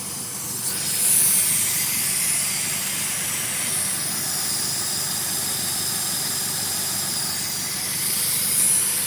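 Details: 2000 Honda Civic Si with B16A2/B20 block, idling: steady high airy hiss from the engine bay as air is sucked through a small black fitting into the intake manifold; stops when tubing is fitted; car sometimes stalls at idle; vacuum leak.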